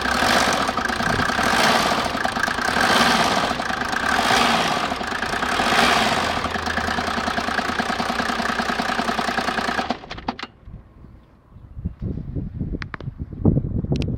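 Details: Mercedes OM603 turbo-diesel after its timing chain was replaced: idles evenly with its usual soft clatter and no chain rattle on top, then shuts off; the earlier timing chain noise is gone.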